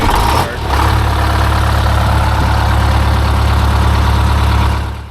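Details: Detroit Diesel 8V-71 with new starter (part 6924N) on an extended 400 amp copper bus: brief crank, then it fires right up and settles into a steady, even idle; starts cleanly, runs healthy.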